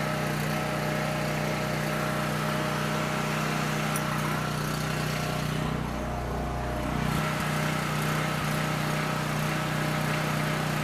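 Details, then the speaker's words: Coleman PowerMate 6560 generator, carb rebuilt but ran only on choke, fixed by putting gaskets in correct order: steady even hum, brief dip it recovers from; normal running. "There you go, something as simple as the gaskets being in wrong order."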